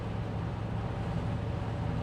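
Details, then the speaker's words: 1971 Cadillac Coupe DeVille driving uphill on a slight grade under throttle, creeping toward 70 mph: steady deep drone with throbbing hum; resonant drivetrain vibration starting faintly around 50 mph, worse at highway speed and heavy throttle, cause not yet found. "the kicker in this whole thing is the problem doesn't even start occurring faintly until you hit about 50 right and then as you get into highway speed you can feel it but if you're going up a slight grade like I am now and you give it gas"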